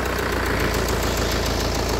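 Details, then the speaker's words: Kia Carnival diesel after engine overhaul, just started cold. Steady idle with light even tapping from all 16 weak hydraulic lash adjusters, no heavy knock; ticking smooths out when warm; liners are scored, slight blow-by. "jadi ada tok took to tooknya ya kalau baru start itu karena hla-nya kan juga 16 hla itu lemah semua"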